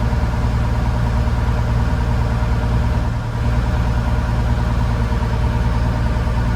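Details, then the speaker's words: Case TR310B skid steer diesel at its 100-hour service, after oil, fuel filter and fuel/water separator changes; steady even clatter at constant low idle, no hunting, surging or stalling within a minute, so no air in fuel system: normal idle. "And if there was air in there, it would have shut down within that minute."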